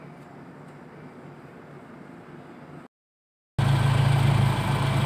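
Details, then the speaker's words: Engine idling steady and smooth with an even low rumble, before the AC is switched on; the owner says the engine vibrates once the AC engages. Normal idle. "ini kondisi sebelum masih nyala itu seperti ini kondisinya stabil bagus"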